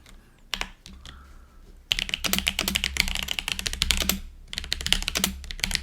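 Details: GoPolar TKL budget keyboard (Cherry-profile keycaps, stock Azure Dragon switches), baseline sound test before modding: fast, even key clatter with a deeper, hollow plastic clack from the space bar; the rattle points to loose space bar stabilizers.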